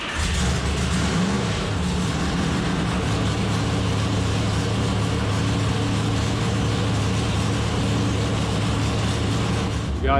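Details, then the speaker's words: Newly assembled Dart 400 small-block Chevy for a '67 Camaro on an engine dyno, first start before warm-up: fired right up into a steady, even V8 idle with a deep burble and no knocks or misses. "got it lit here. This thing fired right up. That sounds good. It sounds really good."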